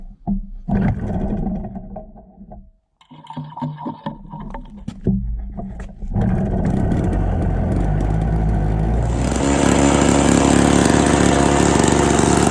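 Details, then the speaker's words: Classic Victa 18 two-stroke lawn mower, first start after purchase, primed, throttle about half, fuel tap leaking: few rope pulls and sputters, started second pull, settles to steady even high buzz; normal running. "that was interesting it started on the second pool very happy with that idea"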